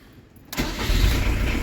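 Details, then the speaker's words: Diesel camper van at the end of its restoration, just fitted with a new engine radiator and battery reconnected. Glow-plug preheat, a short crank, then a clean catch into a steady, even idle with no knocks or misses. "donc ça y est je rebranche la batterie et pour va pouvoir démarrer le moteur allez préchauffage et démarrage je suis trop content franchement"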